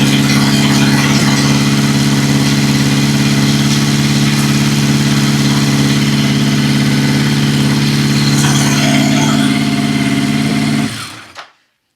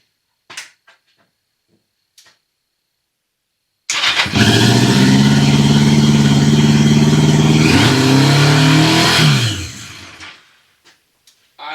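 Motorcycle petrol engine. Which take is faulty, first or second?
second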